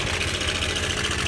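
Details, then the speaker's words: Honda Air Blade scooter at idle: a fast metallic rattle over the steady idle, loudest on one side of the engine and louder still when revved; cam chain slapping from a failed tensioner. "phần bên này kêu khá là to đúng không ạ Đây là da đen pi anh em nhé tốc độ cầm chừng"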